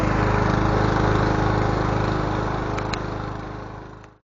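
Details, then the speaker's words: Honda GCV160 lawn mower engine after ignition coil replacement; the faulty coil was the cause. Runs with a quick, even beat and no misses, then shuts off: healthy running. "Alright, she's alive. We got her running. Sounds good. It was a coil. The coil was messed up."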